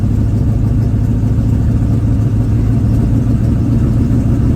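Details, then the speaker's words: 1985 Chevy square body small-block V8, after exhaust leak weld, warming up on electric choke: steady deep rumble held at a fast idle, a little high; idle cam adjusted, slight intake manifold leak remains. "probably going to rev up to 2 grand which is a little high i have messed with the the idle cam a little bit but there is a slight intake manifold leak"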